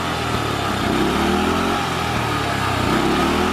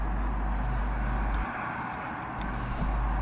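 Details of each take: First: Murray lawnmower with a loud small engine whose beat wavers and sags, dying a little each time the throttle is released; carburetor misadjustment. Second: Old Murray lawnmower, single-cylinder, which was bogging down and cutting out, after a quick cleanup: holds a steady low drone without bogging or cutting out; running better.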